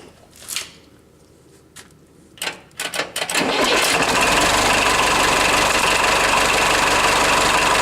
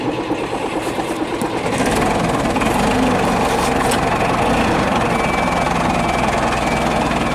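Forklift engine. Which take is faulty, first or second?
second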